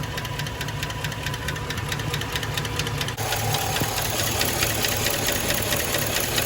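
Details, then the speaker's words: Gen 3 5.3 LS V8 without DOD/AFM, heat-soaked after 10-15 minutes running, heard from underneath on driver's side: sharp regular tick about two per second at idle, apparently rear driver's-side cylinder; faulty lifter suspected, later replaced. "finally got the sound to start coming laying underneath it on the driver's side and it definitely sounds like it's coming from like the back one of the back cylinders on the driver's"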